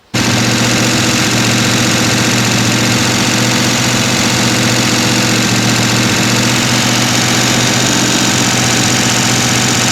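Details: Freshly rebuilt, mostly stock Mopar 383 V8 running on the stand with all lifters now turning: a steady, even, full note with no stumble; the engine sounds healthy.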